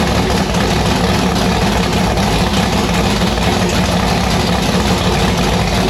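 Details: V8 race car with newly installed 1150cfm Pro Systems carburettor on E85, just started: loud, choppy, uneven idle with hard lumpy beat, sounding unsettled; rough idle, likely needs carb tuning.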